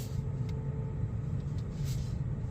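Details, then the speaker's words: BMW i5 (new 5 Series) electric rolling in Expressive mode: steady low droning hum resembling a worn wheel hub bearing, but it is the artificial drive sound, not a fault; disappears in Efficient mode. "that sound. It sounded like this car has a bad wheel hub bearing. I kid you not. For those who have experienced changing your wheel hub bearing, you will know what I'm saying."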